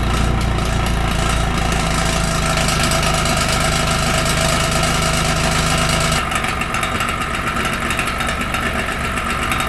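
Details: 2013 BMW 328i xDrive (F30) idling with a loose, uneven metallic rattle from the exhaust muffler flap valve, shaft wiggles; worn actuator clip, fixed by replacing the muffler control valve actuator clip.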